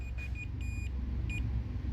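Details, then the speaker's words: Multimeter continuity check on a low-cost fuel filter advertised as anodized: short high-pitched beeps cut in and out as the probe slides around, because the housing is conductive bare aluminium, not anodized; multimeter continuity beep. "you'll hear it beeping as I move this around that's because it's not anodized"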